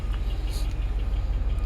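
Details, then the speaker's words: 2008 Buick LaCrosse Super V8 with DOD (cam-swapped after a previous identical failure), about 10,000 miles since owned, knocking for a few months: deep idle with a fast regular knock on every beat; rod knock or collapsed lifter suspected. "This only put like 10,000 miles on it since I had it. And it started knocking like a few months ago."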